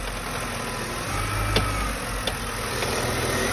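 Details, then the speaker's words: BMW 5 Series E60 N52, engine running, steering wheel turned: two sharp crunchy clicks about a second apart over a steady idle, traced to the steering shaft or rack area; owner first suspected mounts, cause not confirmed. "крутим руль слушаем хруст запускаем крутим Круз есть очень сильный вращай прям что-то щёлкает хрустит как будто бы йка"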